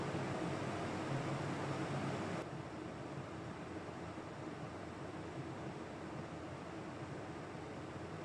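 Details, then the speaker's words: Carlton air conditioner whose compressor previously would not kick in, now cleaned and reassembled: a steady, even hum and airflow with no knocking or rattle. The compressor now kicks in and runs normally, blowing cold air. "Yay, did you hear that? Compressor just kicked in. Get in, it's getting cold."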